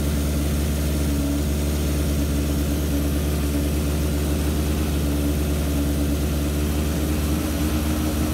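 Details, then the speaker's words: 1978 Kawasaki KZ650 C four-cylinder, revived after at least 5 years unrun, during carb vacuum balancing with dampers: smooth, steady, even hum held at a raised 2000 rpm fast idle, no misses or knocks; normal fast idle, carbs balanced within about a quarter inch. "i need to set the idle to 2000 revs"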